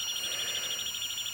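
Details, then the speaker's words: Pioneer PD-4100 CD player: high thin squeal pulsing about eight times a second as laser sled hunts back and forth; laser fails to read the disc. "Now you hear the squealing? That's the laser moving back and forth, looking for the information. Now just if you put it on random play, you can hear that laser moving back and forth,"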